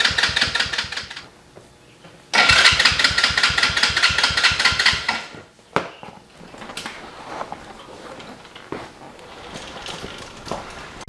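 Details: Small kids' ATV after starter switch replacement: fast even starter whirr with compression chuffs about two per second, stops without catching; cranks but won't start, owner suspects the dead battery.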